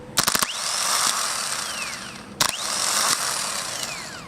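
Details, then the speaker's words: Starter for a 2001 Ford Taurus bench-tested by shorting across the solenoid: a contact crackle, then a smooth high whine that coasts down, done twice. A healthy starter spinning freely; the starter was the car's problem. "that my friend is a good starter so I'm going to go stick this on so that was my problem the starter"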